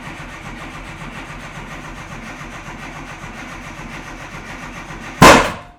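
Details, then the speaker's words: Race engine just refitted in a classic Mini Cooper S, no choke, timing being adjusted: steady cranking about five seconds with no firing, ending in one sharp bang; owner attributes it to timing and leanness. Cranks but will not start. "so that's just leanness now is the only reason why that doesn't want to just fire straight up because like i said before we don't have an option for choke"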